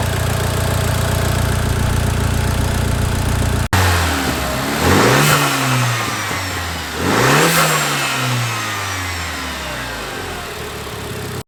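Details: Renault Megane RS250 turbo after remap, started after securing intake/throttle body parts to fix a major boost leak: steady idle then two crisp revs climbing and falling cleanly, no hiss or whoosh of escaping air; normal revving.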